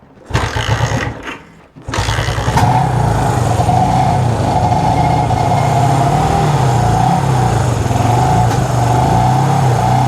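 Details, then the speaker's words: Honda CB360 twin started cold on choke: an uneven, lumpy idle with the number two cylinder not firing, because its ignition timing is not set properly; it runs fine once warm. "all right so that number one side is much hotter than the number two because number two it just uh you know doesn't want to fire it's just not time properly"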